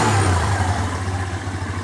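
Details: Skydrive 125 scooter that suddenly died and would not start (a mechanic had blamed a valve), now revving after push-start on a replacement spark plug: clean single revs, steady low throb, no misfire or stumble; fault was just the spark plug.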